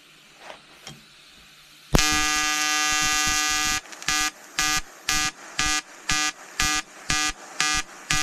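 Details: EWM Tetrix XQ 230 Puls AC/DC inverter TIG welding 5000-series aluminium corner joint: 2.4 mm lanthanated tungsten, 2 mm filler, pulsed AC. Harsh even electrical buzz holds steady, then pulses about twice a second; normal AC TIG arc.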